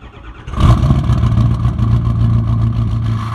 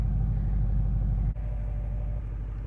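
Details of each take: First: Ford 6.0 Powerstroke diesel before repair, through new 4-inch exhaust with 6-inch tip: cranks, catches, then rough loping idle from passenger-side number 1 injector missing, which keeps throwing a cylinder contribution/balance code; injector misfire. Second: Ford 6.0 Powerstroke diesel after replacing passenger-side number 1 injector (cylinder contribution/balance code); low even idle clatter, smooth steady rhythm, no misfire, no check engine lights, slight initial smoke clearing quickly; normal diesel idle.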